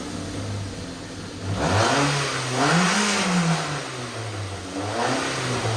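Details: AWD Toyota Matrix after fitting a custom-built 2.5" exhaust without secondary cat and resonator: smooth, low exhaust hum with a couple of clean revs, no rattles or rasp; pretty quiet, slightly louder than stock, normal exhaust note.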